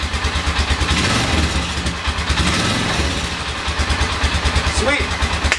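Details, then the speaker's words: 1997 Polaris Sportsman ATV running with the clutch removed: even low pulsing beat about three a second, much quieter with no banging. Normal idle, confirming the banging came from the clutch. "you listen to that sounds a lot quieter now no banging away"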